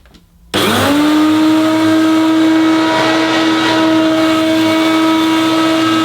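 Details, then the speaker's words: Hoover U2784 Turbopower Boost Autoflex vacuum cleaner, original motor before replacement: spins up into a loud, harsh, steady whine with a rough edge; rough, worn motor noise. "so it looks fantastic but it sounds absolutely horrendous so headphone users I warn you now turn down your volume because this sounds absolutely horrible"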